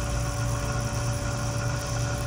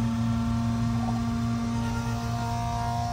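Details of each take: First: BMW M5/M6/X5M S63TU/S63R, newly replaced auxiliary water pump running during a second coolant bleed cycle before engine start: an even, low, steady hum with no grinding or bearing rumble. The old pump was loud from shot bearings. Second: BMW M5/M6/X5M S63TU/S63R, original auxiliary electric water pump running while coolant is topped off before replacement: a steady high whine at one pitch, growing louder. Owner suspected a faulty pump.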